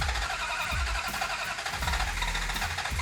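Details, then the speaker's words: '69 Hemi Charger R/T, cranking after distributor moved well toward advance and gas pumped; steady rough cranking with uneven low pulses and loud hiss, sounds like it wants to start but never catches. "It does sound like it wants to start, so go ahead and crank it."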